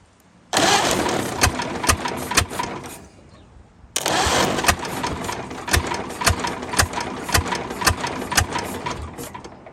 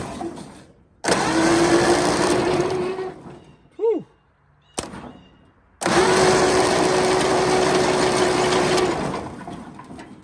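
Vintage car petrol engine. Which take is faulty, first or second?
first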